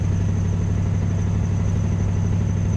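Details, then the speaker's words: LS-swapped car on test drive: deep, loud, throbbing exhaust drone at steady idle, about two pulses a second, hollow uneven tone from muffler area; owner suspects heavy backfiring blew out the muffler, not confirmed. "and that noise that we're hearing in the exhaust I think from it backfiring in the exhaust so much it blew out the muffler"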